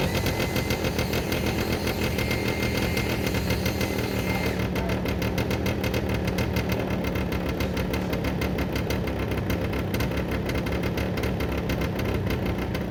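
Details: Derbi 100cc two-stroke after carb clean, airbox refitted, fresh premix fuel, choke left on: idles with uneven popping beat and ragged exhaust note; rough running, spark plug found very wet and dark (fouled).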